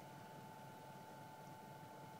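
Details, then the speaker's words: Century 3/4 hp 6-pole repulsion-start induction single-phase motor, 110/220 V, 60 Hz, rated 1165 rpm, unloaded on 110 V instead of 220 V: steady low drone under clear high whine, no knocks, smooth but underpowered. "these would sound better on full voltage but yeah they're still neat nonetheless i don't have 240 volts handy at the moment in the garage maybe another day"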